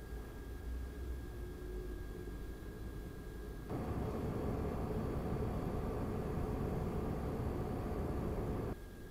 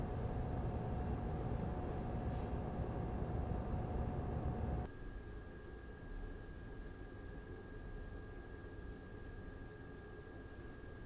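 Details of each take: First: Razer Core X Thunderbolt 3 eGPU enclosure with RX 5700 XT, after Noctua NF-A12x25 fan upgrade, same mic distance, idle then 100% load in Unigine Heaven: steady airy fan rush swelling briefly, then settling; normal. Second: Razer Core X Thunderbolt 3 eGPU enclosure with an RX 5700 XT, idle, same mic distance: the stock cooling fan gives a steady rush with a whine near 700 Hz. The replacement Noctua NF-A12x25 is much quieter with a faint high tone.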